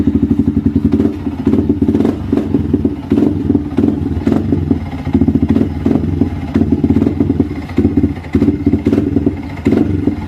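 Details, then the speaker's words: Yamaha Vixion motorcycle bogging (ngempos) and sputtering when throttled, running lumpy with surges and stumbles. Fuel keeps flowing from the injector hose, so the fuel pump (rotak) is suspected. "Oke Guys jadi kendalanya seperti itu ya ngempos ketika digas"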